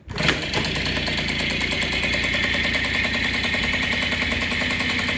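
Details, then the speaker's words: Yamaha Chappy two-stroke after engine restoration, rear wheel not turning; carb overflows into airbox, float suspected stuck: catches at once into a crisp, steady two-stroke crackle with even beat, no rattle, right amount of smoke; normal idle. "that's the right amount of smoke that you should be seeing coming out of a two-stroke and that's what it should sound like"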